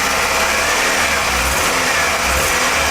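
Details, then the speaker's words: 1998 Toyota Camry with constant single-cylinder misfire (codes for cylinders 2 and 3): idle steady in pitch but beat stumbles; pulling cylinder 2 plug wire gives no change. "Cylinder 2, pull the plug wire up. No change whatsoever."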